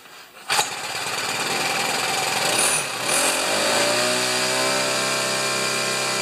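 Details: Craftsman two-stroke string trimmer after broken trigger cable repair, primed and choked: snaps on and settles into steady buzzing idle with no misses or stumbling; normal running.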